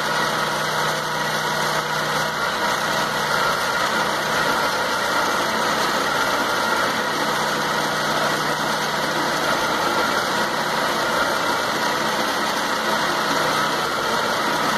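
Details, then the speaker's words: 2006 Trail 2.0 after a cheap temporary fix of reseating the spark plug wires instead of buying new ones: idle and exhaust pulses now steady and even, firing cleanly on all cylinders. "ya el sonido prácticamente es parejo ese aire que sale ya es parejo ya no está como hace rato"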